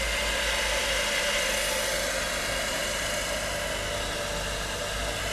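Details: Cincinnati #2 tool and cutter grinder, a working machine, started up: smooth, steady whir with a soft airy hiss and no knocking, rumbling or grinding; runs quiet and healthy.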